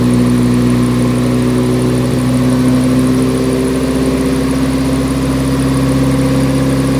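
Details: Nissan 180SX Type X, SR engine, TD06 20G turbo, on the dyno at 15 psi with injectors maxed near 255 rwkw: strong, even drone at steady pitch with no misses, knocks or rattles. Pulling cleanly and healthy under load.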